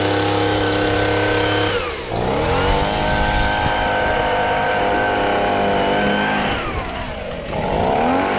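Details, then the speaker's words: Stihl BG55 handheld leaf blower two-stroke after fitting an aftermarket carburetor, started on choke: screams at high revs, then sags sharply twice when throttle drops and recovers; idle speed misadjusted, needs idle screw turned about half to full turn. "i have to adjust the idle a little bit i'm going to show you how to do that"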